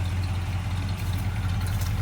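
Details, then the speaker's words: Chokeless carbureted V8 just started, two key turns and six throttle pumps: steady even low rumble with no misses or hunting; idle about right. "yeah it was two turns in the key and pump it about six times fire right up man there you go"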